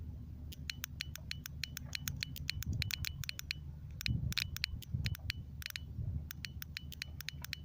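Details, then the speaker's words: Outboard motor (Mercury) fuel injector bench-tested off the engine on 12-volt battery supply: crisp distinct clicks each time power is applied, over a quiet hum; the sound and valve movement indicate the injector is most likely okay. "So this sound and this movement will tell you the injector is most likely okay."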